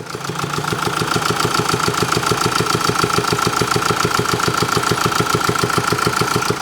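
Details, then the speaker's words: Diesel engine at idle with fast, even ticking about three a second over the running note; worn cam followers and damaged exhaust camshaft lobe, no warning light, engine near failure. "예이 소리가 들리시면 어 엔진 사망 직전의 소리입니다 그러니까 반드시 가까운 곳으로 가야 됩니다"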